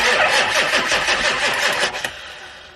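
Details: Engine cranking right after turbo mounting, an air leak at a screw just tightened: steady rhythmic cranking about three beats a second with no firing before winding down; crank-no-start, oil then seen coming out, cause unconfirmed.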